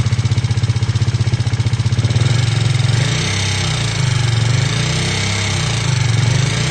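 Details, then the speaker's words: KTM Duke 390 V2 after replacing the intake and exhaust camshafts and two rocker arms, valve clearances in spec, following metallic clicking from gasket maker blocking the head oil passage: an even single-cylinder idle at about four beats a second with only a light tick; it idles normally. "So yun na nga po bale Yan na yung andar ng motor na natapos natin palitan ng cam shop yyung intake and exhaust pati dalawang rocker Arms so normal na normal sa ktm na meron siyang konting lagitik"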